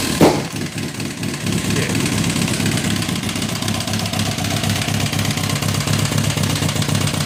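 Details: 2006 Kawasaki ZX10, 45k miles, no compression in cylinder 1, smashed spark plug found, no smoke or metal in oil: heavy loud rough knocking through idle and revs; owner suspects rod knock or blown motor, unconfirmed.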